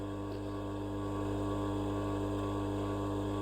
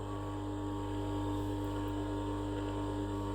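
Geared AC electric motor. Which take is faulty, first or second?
second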